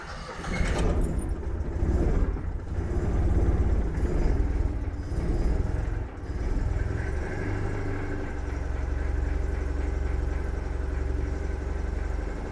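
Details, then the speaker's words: One of the fleet cars (CityRover, 2CV, Invacar or Toyota Tercel) after five months locked up: it catches with uneven revving blips, then settles into a steady low drone, running normally again after storage. "oh how I have missed that noise right"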